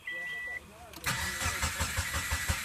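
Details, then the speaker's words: 2006 Subaru Forester XT won't start, owner suspects the fuel pump (in the trunk, heard squealing when reconnected): chime, then starter cranks steadily about five beats a second but never catches; crank no start, cause not confirmed. "I'll reconnect this here, and the fuel pump will squeal. See? Yeah. That ain't good."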